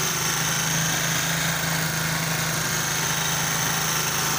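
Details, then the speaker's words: Honda CD 70 70cc bike after timing chain noise repair with parts replaced: even steady idle hum, no timing chain rattle or clatter, engine quiet and healthy; normal idle. "लेकिन इससे bike आपकी bike का engine महफूज हो जाएगा engine खामोश होगा engine का साउंड बेहतर हो जाएगा"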